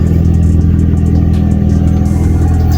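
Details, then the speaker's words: Honda Civic 8th gen, revived after a no spark, no fuel, no crank fault (not the ECU), revving on a freezing morning; steady even firing with no knocks or misses, though a little smoky; normal revving. "like I said it's a little Smokey smells who knows but I'm just stoked that it just [ __ ] drives"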